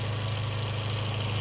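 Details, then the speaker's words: 2003 Audi A4 Quattro 1.8T wagon after replacing a broken PCV valve and three-way check valve that caused a misfire: steady, even low idle hum, no jerking, sputtering or misses; normal idle. "Um, you can see it's not jerking and sputtering anymore."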